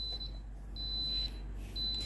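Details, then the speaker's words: Philips GC6720 steam iron with its orange light blinking: a repeating high-pitched beep, about half a second on and a quarter off, in a quiet room. It is the descale reminder, not a fault. "ตัวนี้ไม่ใช่อาการเสียของตัวเครื่องนะครับผมตัวนี้เครื่องจะเตือนให้ล้างนะครับผมขึ้นอยู่กับการใช้งานของลูกค้านะครับผม"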